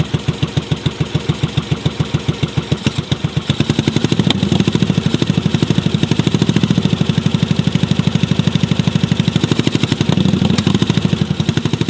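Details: Yamaha Virago cafe racer project: slow uneven thumping idle mostly on one cylinder, louder stretches as the second cylinder occasionally fires, and popping when it drops out; misfire on one cylinder, cause not yet found.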